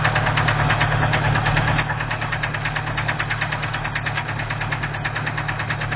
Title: Стук в двигателе , оторвало юбку поршня